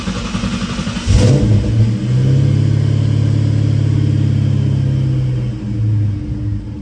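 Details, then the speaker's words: Supercharged SVT Cobra Mustang after installing an LFP Big Mouth single-blade throttle body, cold start in neutral: engine settles into a steady, lower idle with no hunting or surging; target warm idle about 950–1,000 rpm. "And the car is idling much lower than it was before, which is good. So I'd say that our solution there is working."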